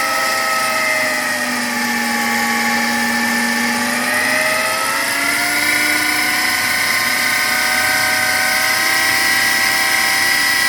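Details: New Chinese-made replacement power steering pump on a Volvo with a loud, high-pitched whine of stacked tones that shift with engine speed, becoming noisy above 2000 rpm.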